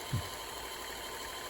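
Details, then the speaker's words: Kenmore Sensor Sew 70 (385.1950280) sewing machine after repair: quiet, even whir with no knocks or catches, steady speed; normal running. "here it is running great doing quite well sounds good"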